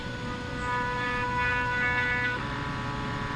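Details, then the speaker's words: AutoDOD brass case machine, second stepper controller at medium speed: steady whining tones over a rough stepping buzz whose pitch drops partway; gives good results but is noisier and choppier than smooth. "which produces good results don't get me wrong it's just noisier and choppier than you know being really really smooth"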